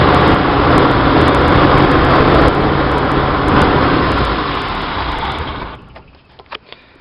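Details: 1966 Chevy van 230 straight six, Weber 32/36 2bbl on stock manifold via adapter, in neutral: fast even idle well above normal, then dies away; owner blamed choke tension, later suspected vacuum leak at adapter gaskets.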